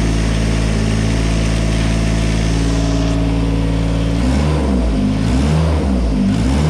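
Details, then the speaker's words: 1986 John Deere 330 mower after an oil pressure switch replacement and air and hydraulic filter changes: steady, even drone that changes pitch smoothly with revs; normal running, with the low oil pressure light no longer on. "she's running good if you notice the the uh low oil pressure lights no longer turning on so that's fixed"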